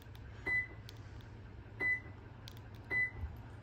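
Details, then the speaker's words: 2020+ 5th-gen Toyota 4Runner with Start-X remote start kit, lock pressed three times; three short high chirps about a second apart over faint hum before lights flash, fuel pump primes and it starts – normal remote start activation chirps. "Like I said, 3rd time, everything starts flashing. You'll hear the fuel pump, and then it'll start up."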